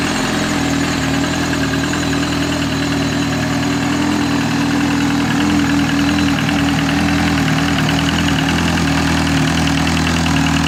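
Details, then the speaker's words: Freshly rebuilt 2003 Yamaha R1 with Rotrex supercharger, 1080 big bore kit, forged pistons, steel H-beam rods, gas-flowed head, raised injectors; steady even idle with firm low burble and constant supercharger hum, no misses or knocks; normal idle. "sounds good as well"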